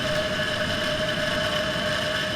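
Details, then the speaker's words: PC with Intel i7-7700 on an AsRock IMB-194-D industrial board, at power-on: steady rough grinding with a fixed whining tone from the CPU cooler fan; its bearings were rusted and stayed bad even after lubrication. "Uh there is some like grinding noise going on. And it turns out the fan on the CPU cooler uh is not in a good way. Um it's literally grinding. Uh you can hear the bearings just uh kind of grinding away."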